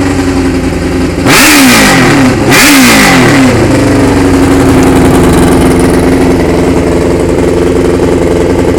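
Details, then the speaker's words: 2001 Suzuki GSXR600, accident-damaged, 37,451 miles: revs blip up and down twice, then a hissing, air-like rush over the idle; noise source not yet determined; air leak noise when revving. "as far as that aired noise I have not determined with the problem with that is yet but I didn't want to make it apparent is an issue there somewhere in the bike"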